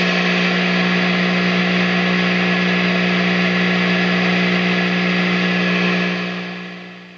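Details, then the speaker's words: Hughes & Kettner Switchblade 50 W amp, guitar straight into the input, nothing in the effects loop, attenuator at zero, standby off, no playing: loud steady mains hum with constant hiss and excessive noise, with noise problems blamed on a new ISP Decimator G-String. "so you can see I've got quite a problem there that I need to fix"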